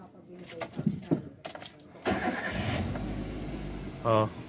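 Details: Toyota Avanza with intermittent no-start, restarted after 15 minutes running to check battery/parasitic drain: few clicks, brief crank that catches quickly and settles into quiet idle; clean start.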